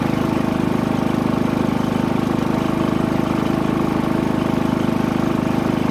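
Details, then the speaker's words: Harbor Freight Predator 3500 W generator, eco throttle off, 25 hours, fresh oil and NGK plug, powering a 32 ft fifth wheel's converter and 15K AC (about 1,560–1,630 W, 12–13 A): steady even beat, smooth under load, running healthy. "alright one point six amps our AC should be coming on momentarily there it goes that's the fan three point eight amps the compressor should kick on very shortly there we go sixteen hundred and thirty-four watts 12.2 ants all right now it's running my 15 K air conditioner unit 12.9 amps fifteen hundred and sixty watts"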